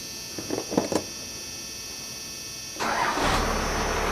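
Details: 1994 Dodge Ram 12-valve Cummins diesel, first start in over five years after sitting in a field: a few light knocks, then it fires almost instantly into a steady, even idle; oil pressure above 40, alternator charging; easy, healthy start.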